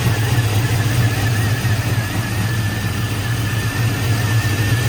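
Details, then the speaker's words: Cammed GMC truck after alternator and electrical repairs, started on third try, voltage reading right: deep, choppy big-cam lope at idle, steady and even with no knocks, squeals or charging whine; normal idle. "okay whoa third time with the charm we got it running yes sir voltage looks right everything looks good"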